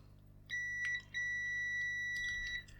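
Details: DAB radio that shows signs of life but won't power on: two clean, steady high-pitched multimeter beeps as a working button is pressed, normal switch continuity; the faulty button gives no continuous beep when held.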